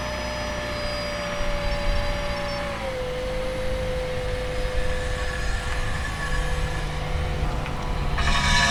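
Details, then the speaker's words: Car with a grinding complaint from the front driver's side, heard on a slow test drive down a quiet road: a steady metallic scraping over road rumble that falls with speed. Suspected cause is a dust shield rubbing the front rotor. "so yeah definitely something there let's check this up and take a look i'm sure you could hear that but it sounds almost like one of those dust shields hitting something"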